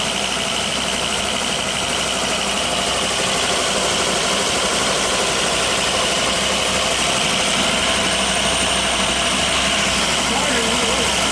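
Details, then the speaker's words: Volvo turbo five-cylinder, about 200,000 miles, after new coil packs and OEM spark plugs: even steady idle with smooth valvetrain chatter, no knocks or slapping; runs quiet and healthy. "oh my that sounds great I mean you know for 200,000 Mi I think it sounds good dude that's that's not bad at all"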